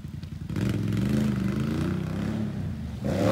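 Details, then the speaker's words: Once-flooded 2020 Can-Am XMR 850 after fluids flushed, ridden in rain: engine picks up cleanly, pitch rising and settling with throttle, revving smoothly without misfire; normal running. "oh yeah that thing sounds so much more healthier and it performs so much better"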